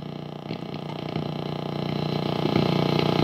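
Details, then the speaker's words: Peavey XR684 PA head during servicing: steady hum with a low, regular flutter about three times a second that creeps louder, much quieter when a cable is unplugged; owner suspects microphonics, cause not traced. "it's only see when I unplug this thing it goes away well but no it doesn't go away I can still hear it just a little bit but it's it's it's way way quieter"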